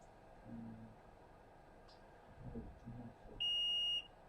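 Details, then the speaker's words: iPhone 6 with no backlight, probed with a multimeter on the board: after quiet bench handling, a steady high continuity beep of about half a second shows a dead short on a backlight circuit part, which needs replacing. "Now you can hear that there. That is a dead short. So we found the culprit."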